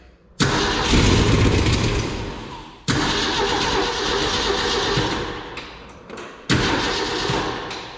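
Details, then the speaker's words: 1965 Ford F100 six-cylinder, sat 13 years, fed gasoline into the carburetor bowls: three bursts where it catches, roars a second or two and dies; the carburetor doesn't seem to be carbureting. "just ran absolutely no problem I bumped the key over work just as it should and it totally ran there for a second"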